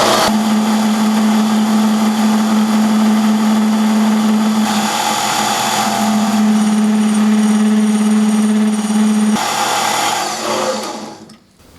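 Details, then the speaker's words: Mini lathe on a replacement 90-volt DC treadmill motor, in forward, cutting the hex off an ER20 collet with a carbide bit. A steady low hum holds firm under load with no labouring or chatter, then winds down smoothly. Working well, surface finish all right. "surface finish is alright. But that's working pretty well."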